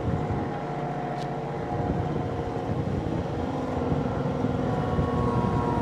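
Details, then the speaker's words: New Kioti CK2610SE HST cab tractor, diesel under 35hp, linked pedal on, AC fan at full blast: steady diesel drone, pitch lifts slightly and stays smooth as throttle is added; healthy response. "I'm going to give it a give it a little bit of throttle will turn on linked pedal currently so link pedals on you'll hear the engine RPMs going up a little bit"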